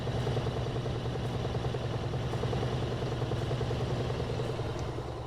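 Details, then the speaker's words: Frigidaire laundry center washer (model FGX831FS5) with an intermittent no-spin complaint, belt and transmission visibly spinning: a steady low hum with a faint regular clatter as the drum speeds up smoothly; belt and transmission healthy. "we can see the belt spinning can see the transmission spinning it's going to go faster and faster get all the water out"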